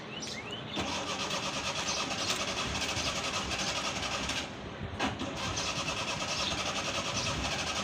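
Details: Old petrol Suzuki Mehran on a cold start, with pedal pumping while cranking and smoke: continuous cranking with ragged, uneven firing and brief dropouts before it settles into a rough idle, a hard, misfiring cold start.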